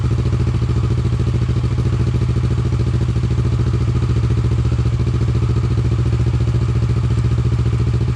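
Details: Motorcycle after the exhaust was refitted with its original lambda sensor, recorded from a distance in an echoey room: steady, even low idle thrum with regular pulses and no knocks or misses. Normal, clean idle.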